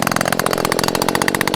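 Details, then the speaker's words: STIHL two-stroke leaf blower at full throttle after removing the clogged spark arrestor screen that made it bog and stall: high, even wail held flat out with no bogging or surging, then easing off; power fully restored. "the power to the blower is completely restored and it's pretty much like brand new"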